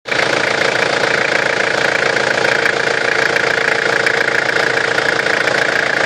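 Engine running at steady speed with a constant high-pitched whistling whine sitting over it, pointing to a noisy turbocharger.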